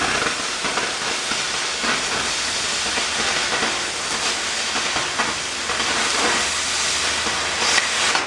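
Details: Oxy-fuel torch cutting thick plate with a quarter-range rated tip: loud, steady roaring hiss with no pops or sputters; clean sound coming off the bottom of the cut.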